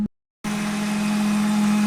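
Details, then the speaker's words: Intake drone at idle on a 2000-2002 Ford Mustang 4.6 V8: steady low humming buzz like a trumpet or horn from the air filter duct; tapping there changes it, and the valve is to be removed and checked for dirt. Cause unconfirmed. "hoy oiga y como un zumbido de trompeta o de cuerno de no sé de rinoceronte no sé pero soy medio raro"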